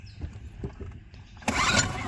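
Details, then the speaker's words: Dinghy outboard on an Island Packet 32 sailboat, barely run last year. Short pull-start bursts, then a rough catch that fires once and dies; owner suspects bad gas. "Oh, come on. It does it once. Let me give it a little bit of gas."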